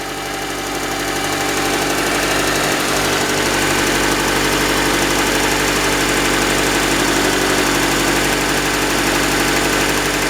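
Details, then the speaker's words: Engine idling after startup with a light, even tick about four times a second over the hum; knocking on startup that owner suspects is an oil pressure issue, planning oil pan and sump cleaning and thicker oil. "the motor was knocking and yeah um I think it's pretty much the same thing that that wrong with Charlene is just uh an oil pressure issue uh upon startup cuz that sounds pretty decent to me"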